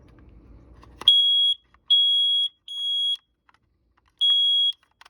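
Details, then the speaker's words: Kara carbon monoxide detector after installing AA batteries: four sharp high-pitched beeps of about half a second in a quiet room; normal power-up signal, working properly. "And that sound here is always good sound because that means it's working properly."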